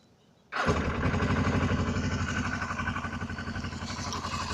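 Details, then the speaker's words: Suzuki GS500E cold start after sitting overnight at about 55°F, with a little choke, after rebuilding carbs whose clogged pilot jets had stopped it running; fires instantly on the button and settles into an even idle: normal cold start. "Starter button's a little janky, but you see it started like a light switch basically."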